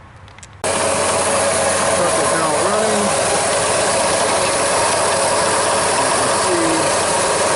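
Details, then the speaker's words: 1999 Ford F-150 5.4L V8 at idle with AC on: harsh, steady grinding roar from a failed AC compressor clutch pulley bearing, clutch and pulley visibly wobbling, serpentine belt and tensioner wobbling, intermittent AC cooling. "see now you can definitely hear the bearing you can see that the clut is wobbling around you see the fully wobbling around"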